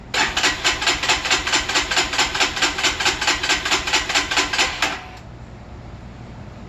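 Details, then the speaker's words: Freshly assembled Lifan KPR 200 motorcycle, with oil, coolant and gas added and the fuel pump audible: the starter churns evenly at about two strokes a second for five seconds but it never fires. Spark has not been checked; cause unknown. "I'm telling you this suckers dry it's got oil in it it's got radiator fluid it's got gas I don't wanna have to take anything apart"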